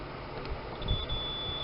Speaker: Ahí se escucha el pitido ese es el lado de tierra